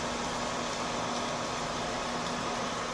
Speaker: yeah that video card is incredibly quiet all that noise is coming from this fan right here my goodness